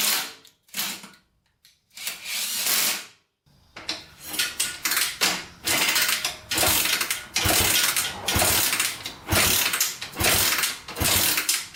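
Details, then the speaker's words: 1987 Honda 250X single after top-end rebuild and new coil, with blue spark and fuel reaching the cylinder: repeated kick strokes about once a second, ratcheting crank, no catch; no-start from low compression, leaking exhaust valves. "all right still doesn't want to start so i don't think we have a sparking problem"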